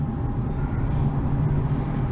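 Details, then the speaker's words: Dodge Avenger driving on the road after the bad right wheel hub was replaced with the hub from the driver's side: only low, even road rumble, no hum or growl rising with speed; wheel bearing now normal. "So going down the road here. As you can hear, no road noise. I mean, no wheel hub noise."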